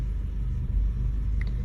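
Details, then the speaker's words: 2009 Acura TSX with flashing check engine light and P0302, while driving: low rumble with an occasional brief stumble as random misfires occur, almost all on cylinder 2; plug looked good, ignition coil suspected. "yeah just driving it you can see some random misfires here every now and then it's almost all from cylinder two"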